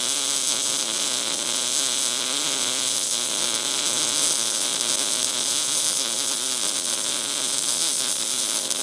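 Even, continuous crackling hiss without breaks or pops; the MIG arc is running smoothly and steadily.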